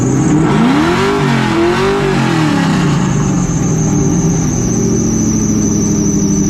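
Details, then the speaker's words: Supercharged car after a new belt was fitted, awaiting a tune: squeal rises and falls with rev blips, then a steady whine at idle; belt squeal, owners unsure which pulley but point to the alternator. "Pretty much a pulley. We don't really know which one it is. The pulley, no? Oh, it's that one. That's pretty much the alternator that's doing that noise."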